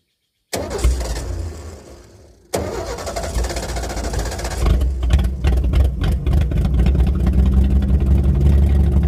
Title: Ford 300 inline 6 misfire